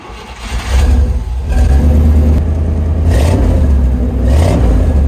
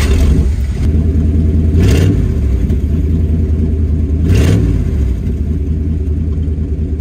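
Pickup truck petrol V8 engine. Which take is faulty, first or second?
second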